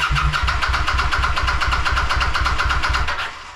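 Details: Kawasaki VN900 bobber restoration non-runner, no spark or fuel, ECU returned checked with zero codes, sensor bridged as a test: steady starter chug about three turns per second for three seconds, no firing; cranks but won't start.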